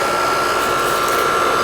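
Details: 2007 American Standard R22 AC condenser after repair of a fan that was not spinning, cooling well with a cold, sweaty suction line: steady, even rush of fan air with a faint constant tone, no rattles or buzzing; running normally.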